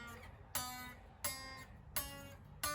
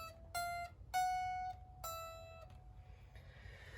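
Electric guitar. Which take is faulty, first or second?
first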